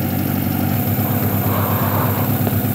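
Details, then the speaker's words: Honda H22A 4-cylinder after cleaning the fast idle valve air channel with throttle body cleaner to cure high cold-start idle: steady, even idle, smooth low hum, no hunting or surging; idling normally. "so far is idling very nice actually here to sound very nice"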